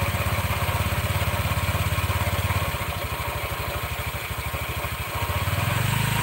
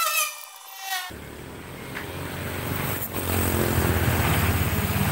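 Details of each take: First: Red Honda Vario scooter idling with the rear wheel held still: rough, rapid rattling grind from the CVT belt drive, which disappears when the wheel is allowed to spin. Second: Honda Vario CVT after repair of rough, grinding noise (previously grinding when wheel held, bearing suspected): short tone then even, steady drone with no rattling; belt drive now runs smoothly.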